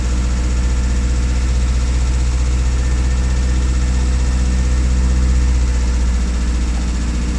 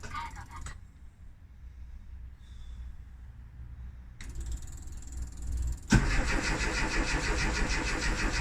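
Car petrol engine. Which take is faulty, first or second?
second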